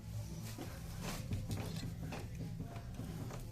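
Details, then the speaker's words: Kia Cerato 2 steering rack knocking on the left: dull irregular knocks under a low rumble when the wheel is worked; the rack piston was not tightened after an overhaul, fix is tightening it with a hex key. "но на кочках шумит и даже вот когда рулем работаешь это рейка очень гуляется сюда то бишь она ходит вот так"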